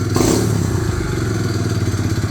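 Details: 2006 Kawasaki KLX110 idling with a loud rhythmic ticking clatter on each firing pulse, seemingly from the top end near the cam. Valves already adjusted, timing chain seems tight; owner suspects cam chain, timing, worn piston or wrist pin, or piston slap. Unconfirmed.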